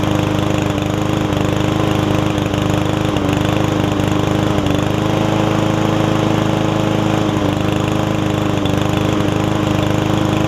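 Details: Yard Man self-propelled push mower with Powermore engine, long unused, after carb clean and freeing the self-propel: steady, even drone with constant pitch and no misses or surging, running smoothly and healthy.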